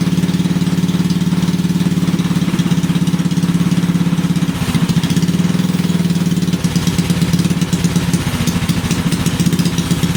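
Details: Briggs and Stratton 5HP single-cylinder engine after the starter clutch (sprag) was replaced: a steady, even rhythm with no misses or knocks; it sounds healthy.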